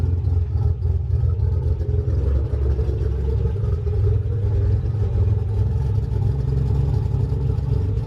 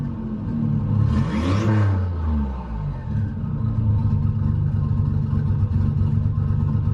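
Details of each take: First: 1988 Nissan 300ZX Z31 project car, first start since summer 2017, heard from outside: low throbbing idle, a bit uneven with some clatter but no sharp knock; runs a little rough, owner suspects old gas. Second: 1988 Nissan 300ZX Z31 project car with QTP exhaust cutout switched open: quick rev blip, then a deep, loud, steady, even rumbling idle; engine running normally.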